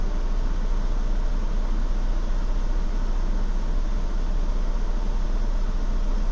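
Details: 2016 Ford Explorer Limited at idle: a low, uneven idle with a loping unsteadiness in the rumble and no clear knock. A rough idle, cause not evident.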